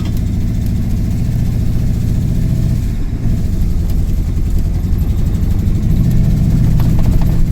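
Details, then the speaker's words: Truck running under load after sitting, revs bog and struggle to pick up; deep uneven running, throttle hesitates under load, cause not yet found; being treated with fresh gas and carb cleaner, improving. "So, so like I said, you can hear, you know, the throttle doesn't really want to give under load."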